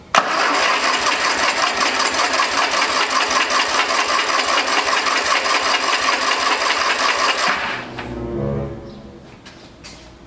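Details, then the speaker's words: Kohler Magnum 20 engine after carburetor rebuild and governor check: steady cranking about two and a half beats a second for seven seconds, never catching, then stops; it was out of gas, no fuel reaching the engine. "i got gas in this thing i've been running this thing and they got no gas in there who said that ain't got no gas in it"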